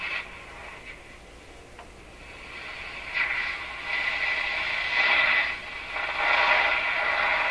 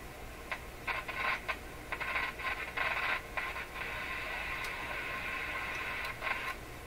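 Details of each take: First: Northern Electric Model 5200 Baby Champ tube radio after restoration, outside antenna connected: station audio steady and fairly clean with light hiss; reception noticeably better. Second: Northern Electric Model 5200 Baby Champ tube radio during final tuneup: hiss breaks into irregular crackle and static bursts when one terminal is touched, like injecting signal; bridging the capacitor with about 330 changes nothing, and reception oddly improves.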